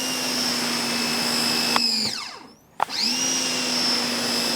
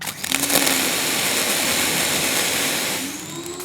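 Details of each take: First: Ryobi 1600 PSI electric pressure washer, spraying stucco house wall: steady high whine over low hum, drops out briefly on trigger release and spins straight back up; whine annoying but normal. Normal pump whine. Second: Ryobi 1600 PSI, 1.2 GPM electric pressure washer (RY141612) during nozzle testing: a hissing spray with a thin hum that sags, then climbs and wavers as the pump draws air and loses prime. This is its second priming issue.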